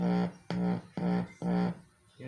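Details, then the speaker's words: BSE7VEN amplifier, right channel: sound comes out muffled and nasal (ngongo), dull bursts with no treble; repairer suspects small transistors or resistors in the right channel. "problema ngongo pala ang tunog niya mga LS gumagana yung right niya ngongo"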